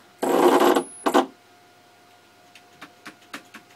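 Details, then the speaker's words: DIY CNC build stepper motor, wired through RJ-45, detached from its coupler, possibly underpowered: harsh buzzing rattle then shorter bursts and faint ticks as the stepper stalls and chatters; owner suspects the wiring. "that doesn't sound good yeah sounds dead gosh well uh I'll have to figure it out and if you guys have any ideas think it's time to upgrade to better wiring"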